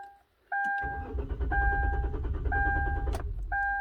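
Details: 2012 Kia Rondo, key fob case recently replaced without transferring the transponder: starter spins steadily about 2.5 seconds under a repeating chime, never fires; crank no start, immobilizer not recognising key, though it starts via aftermarket remote start.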